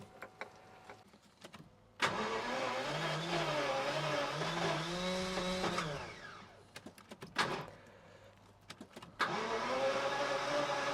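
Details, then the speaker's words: Jaguar XJS V12, laid up 11–12 years and rarely driven, tank run empty: catches after cranking, then uneven hunting idle that smooths as debris clears through the injectors; rough running after start. "You can just feel it clearing there. Think all the crap's being pushing through the injectors and hopefully it'll go out the other side."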